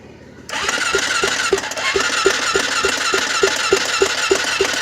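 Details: Honda 400EX ATV, cranked; starter turns at about three beats per second but the engine never fires; cranks but won't start, cause unconfirmed.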